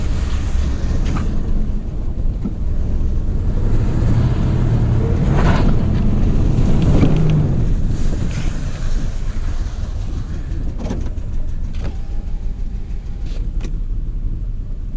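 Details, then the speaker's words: Dodge Ram 1500 with a replacement 4.7 HO V8, showing no oil pressure after a suspected jumped timing chain blamed on an untightened cam bolt: a heavy, unevenly pulsing rumble, starting to clack. Runs very rough, cause unconfirmed. "so now i'm down to the point where i got no oil pressure and it's clacking well it's starting to clack and it just doesn't run right at all"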